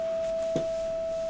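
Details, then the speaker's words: Blackstar HT5 guitar amp, signal injected into effects loop return bypassing preamp: only a thin faint single-pitch test tone, same low level as before; fault points to the power amp section. Cause suspected, not confirmed. "I don't know if you can hear we've got exactly the same low-level signal going straight into the effect Loop and so it's looking to me like the power amp side of things"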